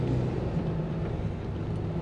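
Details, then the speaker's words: 2012 Dodge Ram 3500 after new front brakes and rotors (previously grinding): low road rumble at 4-5 mph and quiet stop with no scraping or grinding; good stopping power, pedal firm. "okay driving along 4 to 5 mph definitely got stopping power that's good"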